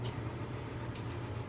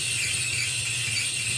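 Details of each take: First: Maytag Bravos XL dryer after replacing the bad idler pulley that caused squeaking. A smooth, even drum hum with no squeal or chirp: normal dryer running. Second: Maytag Bravos XL dryer running: a harsh, continuous high-pitched squeal over the low motor hum, caused by a bad idler pulley that is about to be replaced with a repair kit.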